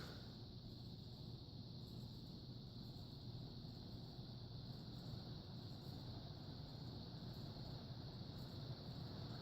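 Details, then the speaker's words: Vintage ceiling fan with steel blades and a steel motor on high speed: a steady low hum with a faint light buzz, something loose, added to the maintenance list. "It's making a little buzzing. Andrew was pointing that out before. Something's loose."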